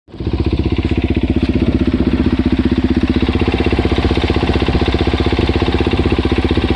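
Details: Suzuki DR-Z400S single-cylinder engine at idle after replacing cam chain and cam chain guides: steady thumping beat with a light ticking carried along.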